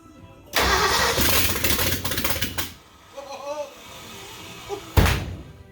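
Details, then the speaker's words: 1967 Ford Bronco 302 V8 with 3-speed, first start after restoration work, coil powered and starting fluid sprayed: starter cranks, engine catches and roars unevenly about two seconds then falls back; it fired up, normal start. "It fired up. All right. Well, what that means is we're going to keep putting this thing together."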